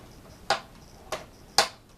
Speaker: if you don't quite press the knob properly you hear that clicking noise and if that's clicking it means you're not pressing it hard enough and if you keep on doing that it'll eventually wear away at the mechanism